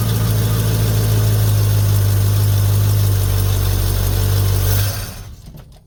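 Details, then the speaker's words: 1950 Ford F1, Flathead V8 8BA, after replacing the leaking exhaust manifold gasket and the missing header bolts: deep, steady, even idle rumble with no ticking or puffing, about 45°F outside. Exhaust leak fixed. "sounds good"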